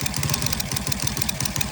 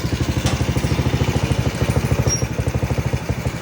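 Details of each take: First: Rusi Cracken 110 motorcycle idling with fast sharp metallic ticking like a timing chain over an uneven, misfiring putter; owner has replaced almost all parts, camshaft being removed, ticking from valve train/camshaft. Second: Rusi Kracken 110 single-cylinder motorcycle engine idles with a steady, even low putter and no misses, after a camshaft part was removed and the flooding carburetor replaced, curing the earlier valvetrain clatter and misfire; normal idle.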